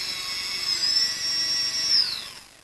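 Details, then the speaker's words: HK 550 frame with MultiWii flight controller and individually calibrated ESCs, props off: high electric whine holding steady, then sliding down in pitch as throttle eases; all motors at roughly the same RPM, within 50 RPM; normal speed change. "all Motors start at the same time and are roughly the same RPM all the way to Max throttle"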